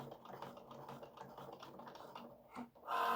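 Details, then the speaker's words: Craft cutting machine cutting a pop out gatefold card's fancy detail first: quiet stepping whirr with soft ticks, then steadier higher motor whine as carriage travels; normal cutting. "So, we made this fancy. So, it's cutting out the fancy bits. It's doing that first."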